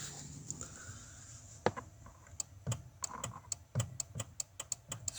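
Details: Skoda Octavia II facelift horn relay clicking sharply about three times a second, no horn tone; horn signal from multifunction steering wheel to controller to relay; owner suspects relay rather than both horns dead.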